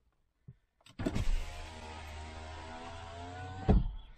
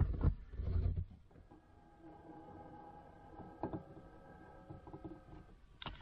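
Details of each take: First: Audi A6 3.0 TDI V6 quattro, over 300,000 km: passenger-side power window. Smooth, even motor hum about three seconds, steady pitch, soft stop at the end; works flawlessly, though possibly replaced before. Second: Audi A6 3.0 TDI V6 quattro, over 300,000 km: power mirror adjustment on the other side. Strained, buzzing motor whine for about four seconds, louder and rougher than it should be; mirror works but makes a racket.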